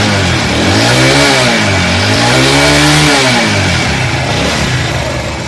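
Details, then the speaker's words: Motorcycle after a cylinder head repair to cure a head noise; strong even exhaust note rising and falling cleanly with throttle, no popping or tapping from the head: normal running after repair. "तो दोस्तों देखिए यह दुआ भी मारना बंद कर दिया है कि अब यह भूमि नहीं मार रहा और यह मोटरसाइकिल आवाज भी नहीं कर रहा है"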